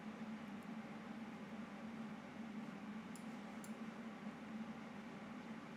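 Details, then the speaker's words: PC fan blowing a bit more while the graphics card is loaded by background-blur processing: soft, steady whoosh with low even hum, no rattle or grind; normal fan noise under load. "ça utilise la carte graphique et du coup ça l'a fait tourner un peu plus elle souffle et encore souffle pas beaucoup là"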